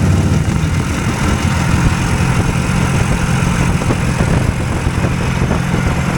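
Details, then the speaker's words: Hovercraft engine just fixed to run on both cylinders, held at high idle while pulling the fan load: an even, steady low drone with both cylinders alike and no miss; sounds healthy. "yeah they're noisy in there it's got a pretty high idle and I'm got to leave it at high idle because it doesn't uh it's pulling a load there all the time"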